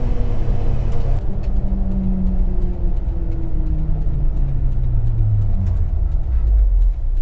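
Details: 1990 JDM Suzuki Carry 4WD kei truck: low engine drone rises smoothly under load, no rasp, puffing or leak; exhaust note sounds sound and fairly quiet.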